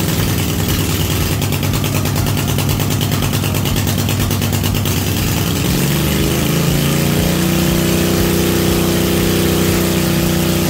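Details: Cub Cadet RZT-50 zero-turn mower, revived after years unused, crankshaft seal replaced and freeze-damaged carburetor swapped for an aftermarket one: rough, uneven start settling after about six seconds into a steady, even idle; normal idle.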